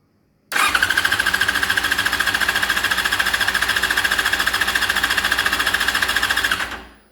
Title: fz6 crank but no start, spark test